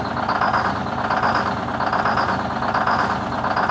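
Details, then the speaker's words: 1970 Peterbilt 341 with a blown-up Detroit 6V71 two-stroke diesel, starting in 80°F weather. Uneven loping beat, about seventy pulses a minute, rough and unsteady, only some cylinders firing as it picks up a cylinder. "I did not think that was going to start. Clearly all that picked up a cylinder."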